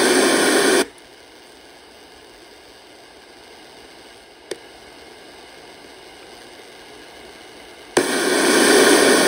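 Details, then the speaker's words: Circa-1960 Channel Master 6514 two-band portable radio, Sanyo-made, 6 V DC, after recapping: loud even hiss that fades to a faint whisper and surges back, even with volume down. Suspected bad germanium transistor, traced to the 2S44 driver. "You can hear the hissing or rushing noise. I think we've just got a bad Germanmanium transistor."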